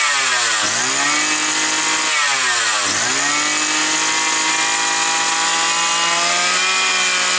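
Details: Likely 52cc brush cutter that started and stalled, probably after winter storage, air filter refitted (mixture may run slightly rich). High buzzy note dips twice, then holds steady at high revs; owner feels the carb jet isn't at 100% and may replace the carburetor.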